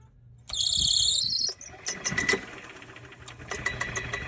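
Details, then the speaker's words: Club Car Villager golf cart, worn drive belt with about 1.5 inch deflection: sharp one-second squeal when shifting into gear, then faint chirps, worse in reverse, with hesitation pulling away; suspected slipping belt, replacement suggested. "try put it in reverse when it's in here it squeaks more no normally it will squeak more and it will pause more"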